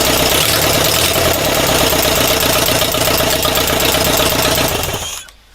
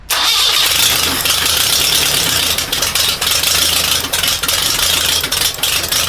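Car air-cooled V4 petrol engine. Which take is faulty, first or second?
second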